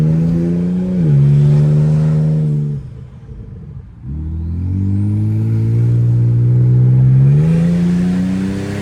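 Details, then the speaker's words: 2013 Ford Taurus SHO fitted with 2012 Ford Flex EcoBoost engine, no exhaust installed so turbo audible, first drive: loud open exhaust climbs strongly through revs, brief pause for a shift, pulls again smoothly; runs and drives smooth, strong and healthy. "runs like butter it moves it's definitely not a slouch"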